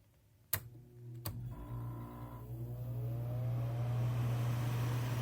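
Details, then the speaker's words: Dometic 13,500 BTU non-ducted RV air conditioner in a camper: two clicks, then the compressor starts and a low steady hum settles in; smooth, normal compressor start-up. "Okay, now let's go ahead and start up the compressor."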